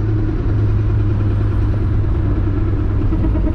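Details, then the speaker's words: Mk3 Jetta VR6 rolling on the road with a harsh, constant grinding from the brakes on one side that grows louder; the owner is unsure of the cause and something is ground down. "yeah that sounds awful oh that sounds awful something's grinded down there"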